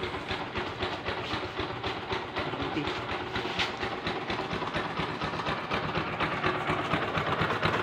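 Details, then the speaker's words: Kawasaki Bajaj Rouser LS135 idling before repair: fast, loose metallic rattle about two per second over the single-cylinder beat; weak cam chain tensioner spring push, fixed using parts from an old tensioner. "Mahina na yung tulak ng spring ng tensioner niya guys."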